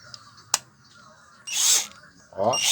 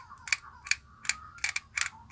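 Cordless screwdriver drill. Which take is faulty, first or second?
second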